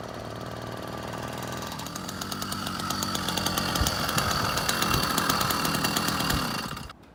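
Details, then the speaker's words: 80cc two-stroke bicycle engine with new JLZEDA belt drive on a Schwinn Swindler, started only a few times: revs up with a rough gritty grind at the gearbox, worst at low speed, then shuts off; found to be low belt tension, to be retightened. "So it turns out that that grinding noise is actually a tension issue."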